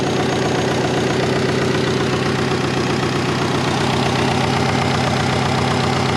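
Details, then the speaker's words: Compound twin-turbo Subaru Forester warming up before its first drive in a while: steady, fast idle with an even throb and no hunting. It idles higher than normal and misses boost targets; the owner suspects a vacuum leak; high idle. "she's idling a bit higher than normal"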